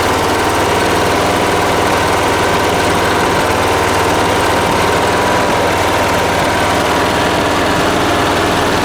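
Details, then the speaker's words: 1980s John Deere RX95 ride-on mower with 36-year-old Kawasaki FV460V engine, first start after carburetor and starter rebuilds: steady, even idle with no misses, knocks or surging; normal idle. "this is the time right here it's gonna go all right she sounds good"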